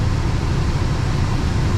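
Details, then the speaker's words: VW Gol G8 cabin AC blower fan after cleaning dirt from fan, washing housing and lubricating gears: steady even whoosh, no rattle or vibration; at higher speeds a slight vibration and louder noise remain. "saindo ar beleza sem vibrar e sem fazer barulho"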